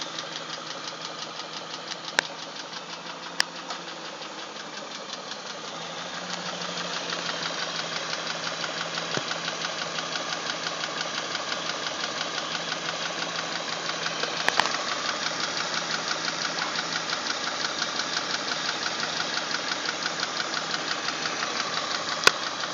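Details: BMW 740i petrol engine at idle with a fast, steady ticking running through the whole clip.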